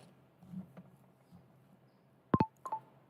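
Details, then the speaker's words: Tiny CNC build: an Arduino Uno running a servo sweep with the servo wired directly to 5V. Repeated two-note USB disconnect and reconnect chimes about a third of a second apart show the servo overloading the supply. "when I run it it sort of works but then it just continually you hear the the sound of the USB disconnect and reconnect sound and it's just happening over and over again"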